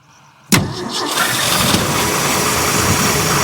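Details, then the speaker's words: Abandoned 1966 Ford F5 truck first start on revival: brief crank, then it catches at once and settles into a steady, even idle; runs like a dream, choke then dialed halfway back. "oh [Music] baby runs like a dream it's running dial the choke halfway back"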